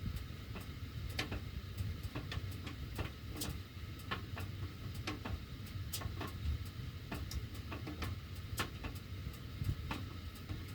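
Sharp, irregular ticks every second or so over a low blower rumble; the ducts are ticking as the heat runs, cause unknown.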